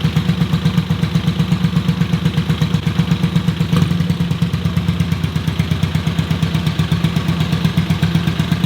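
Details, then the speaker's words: Honda CX motorcycle just revived with a battery and starting fluid, with a fresh clutch cable. Lumpy, uneven idle at about 160 beats a minute with one cylinder barely firing; misfire, carburetion issue suspected. "but if you pay attention really closely kind of when I jump back a little bit the bike was trying to fire on its other cylinder but there's most likely carburation issue as I said before so it's not wanting to fire up nice"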